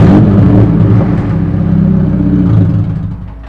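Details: Chevrolet Cobalt SS/SC whose exhaust came loose, effectively running straight pipe: deep, loud, raspy engine rumble easing off at the end, from the exhaust leak.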